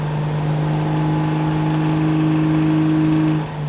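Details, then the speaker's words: Naturally aspirated 2JZ Toyota GX81 Mark II on a Haltech dyno at wide open throttle under load: loud steady drone with hard intake honk from the throttle bodies, not detonation; it wants heaps of fuel there. "It just wants so much fuel there. >> Yeah. Is that actually detonating then? >> No, it's that that's the noise out of the carbs."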